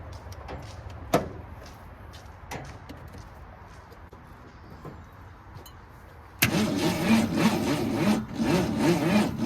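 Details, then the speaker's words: 1964 Ford Falcon wagon, 46 years sitting: a few clicks, then a loud, labored crank at about three turns a second with no catch. Owner suspected the battery, but the starter was failing; number 5 plug was full of junk. "Turning over pretty slow. I wonder if I put a little more juice to this battery here."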